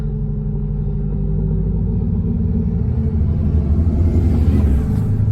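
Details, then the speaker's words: 1977 MCI MC8 bus with newly transplanted Detroit Diesel 8V71TA, first run in 1.5 years: throttle blipped to about halfway and released; deep two-stroke diesel rumble swells then settles back to idle properly. Normal rev and return to idle. "Give it a little bit of throttle and then let off. Make sure it comes back to idle. A little bit more. Take it about halfway up."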